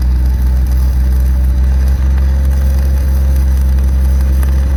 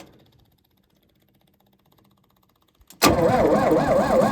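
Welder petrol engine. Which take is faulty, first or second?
second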